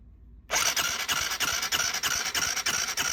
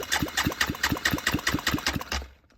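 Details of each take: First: Honda Grom, compression test before teardown: even starter cranking about three beats a second with soft weak compression strokes; low compression, suspected blown head gasket. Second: Honda Grom motor just rebuilt with a 140 big bore kit, cold compression test while cranking, reading close to 160: even chuff-chuff about four compression strokes a second, equal pulses; normal, healthy compression.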